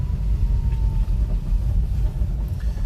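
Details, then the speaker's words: Lifted 4x4 mini truck with a three-cylinder engine, lift kit and snow tires, driving in second gear: steady, even low drone pulling cleanly under throttle with no stumble or knock; takes throttle well, spunky and healthy under load. "takes throttle well seems like it runs well it's very spunky little three-cylinder"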